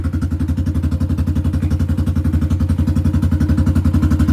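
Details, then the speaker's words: Rebuilt single-cylinder bike ("400 EH") idling after first start: steady, deep, regular thump about four beats a second with none of the usual tick, attributed to the decompression removal done during the rebuild. "if you notice it's not ticking, it don't do that 400 EH tick. That was that decompression removal that we did on it."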